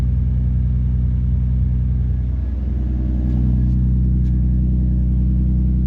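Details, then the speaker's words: Nissan Skyline R33 GTST idle at first start after the noisy old fuel pump was replaced with a Walbro 255LPH and one fuel pipe was replaced: deep, even rumble, slight rev rise midway, no misses or knocks; no leaks, running fine. "Seems fine. The reason I was checking under as well is I've replaced one of the fuel pipes. So just checking for a leak there."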